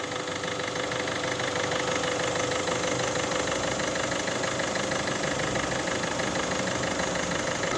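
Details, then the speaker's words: 1.6 HDi diesel after replacing the upper camshaft chain and its tensioner, still cold just after starting: steady idle with an even clatter of about three beats a second and no chain rattle; a healthy cold idle. "ولا هيك مازالت توكي خدمناها مازالت باردة، تسخن يمكن تصلح الصوت أحسن"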